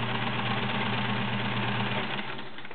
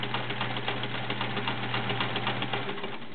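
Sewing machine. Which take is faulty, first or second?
second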